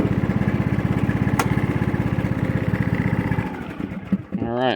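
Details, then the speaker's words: John Deere LA115 with a 19.5hp Briggs & Stratton single, after drive belt and head gasket replacement and reassembly: a steady, even putter at constant speed with no knocks, misses or surging. Normal running. "now everything's working as it should"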